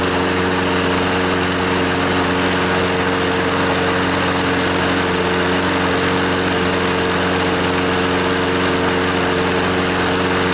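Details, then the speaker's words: Scotts lawnmower, Briggs & Stratton 6.5 HP OHV Intek Edge engine, after carburetor and fuel-system cleaning and a new NGK BKR5E spark plug: steady, even drone with constant pitch and no misses or surging; it runs well and is considered fixed. "yeah it seems to run pretty good let's so I'll replace this nasty old air filter and we will call this a fixed lawnmower yeah baby"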